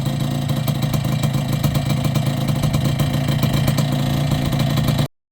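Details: Yamaha YB100 two-stroke after fitting a new downpipe and expansion chamber: steady buzzy running with an even, quick beat and no knocks or rattles; engine idles cleanly.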